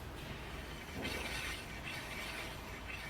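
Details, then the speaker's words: 2005 Smart ForFour, rear wheel spun by hand: a faint, steady light scrape under a soft hiss, likely the brake pads just touching. A bad front wheel bearing elsewhere is the real problem. "This one's got a bit of a braking noise. Maybe just brakes."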